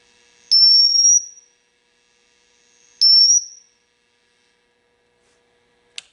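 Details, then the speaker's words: Marshall JCM 2000 TSL602 60 W 2x12 combo under repair, presence at 10: two shrill near-pure whistles with pitch creeping slightly upward. Suspected oscillation, cause not yet found. "Yeah, it sounds like some kind of oscillation to me. Now, whether it's going to be hard to find or not, I have no idea."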